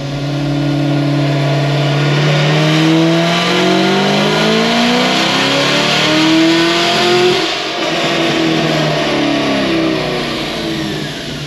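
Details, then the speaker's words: Cadillac CTS-V3 with headers, ported blower and 103 throttle body on dyno: engine note sweeps up hard under full load, then goes ragged and uneven mid-pull, breaking up; injector suspected, not confirmed. "I don't know if it's like an injector or something it's weird it didn't I mean I didn't hear the Baseline but that definitely broke"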